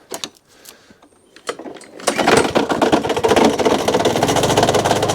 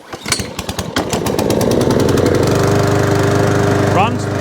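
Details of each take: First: Mountfield SP454 lawn mower, unstarted about three months, drive not working: starts and runs with loud uneven clattering knock under deck; owner suspects snapped belt cover. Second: Mountfield SP454 mower, cold at about 3°C and not run for a while, after knocking noise fixed: catches after a few cord pulls and settles to a smooth, even drone, no knocking underneath; normal running.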